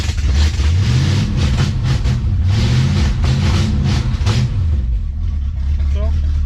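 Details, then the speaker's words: 1972 Dodge Challenger V8, old untuned carburetor, possibly no accelerator pump: revs and settles with a loud, raspy, open bark at idle; exhaust partly fixed but still loud from an exhaust leak. "oh i fixed the exhaust a little bit still loud"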